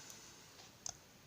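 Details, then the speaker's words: Wemos D1 mini (ESP8266) relay shield WiFi lamp switch toggled via web page: quiet room, then a couple of sharp clicks as the relay pulls in; switching normally. "and I can I can also click off and I don't know if you can hear it but that's the that's the relay clicking on"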